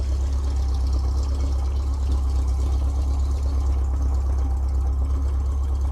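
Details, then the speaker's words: Air-cooled petrol bus after carburetor cleaning, idling smoothly with an even, low rumble; acceleration still misfires badly, cylinder one suspected and running rich, timing to be checked next. "See, like right now it's idling beautifully. Got a really nice idle"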